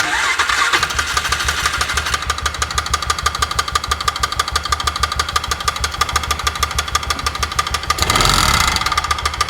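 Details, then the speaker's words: 2004 Polaris Ranger 6x6 engine running after a cam swap: sharp, steady metallic knock about three times a second from the piston striking the cylinder head; owner suspects the head gasket itself, found on reopening. "As far as I could tell, I actually think it's the head gasket itself."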